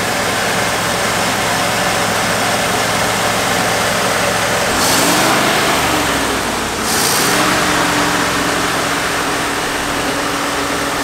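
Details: 1969 Fargo 500 dump truck V8, just started on poured gas: uneven lumpy idle hunting in speed mid-clip; rough, unsettled idle, smoking, slight exhaust manifold oil leak.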